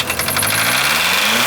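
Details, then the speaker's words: 1981 Volkswagen Rabbit diesel on used deep fryer oil, restarted after overheating badly and cooling down: revs race higher on their own with no throttle, runaway again; owners suspect a holed piston burning oil, not confirmed. "Oh! But oh no! She's running away again. What does that mean? If we're running away on oil, that means we burned a hole in her piston."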